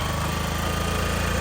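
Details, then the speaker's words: 2004 Honda CG125 restarted after sitting about 15 years, choke on, needing a little throttle: steady fast single-cylinder putter with even beats and no knocks or misses. Runs normally on choke, and idle speed still needs adjustment. "Well, there's the engine running. Sounds good. It's got the uh choke on."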